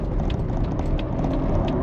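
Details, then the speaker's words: Jeep Wrangler on the road in freezing cold after replacing the faulty turn signal switch: crisp, even flasher ticks about every third of a second over road rumble; indicator works and cancels properly. "One more time just to make sure that it still works. Blinky, blinky, blinky. I hear the little clicky."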